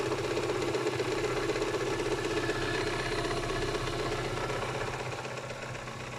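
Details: Kia Spectra 1.6 engine idling with a fairly even tapping, about four knocks a second, over the hum and steady throughout. An engine knock of unknown origin.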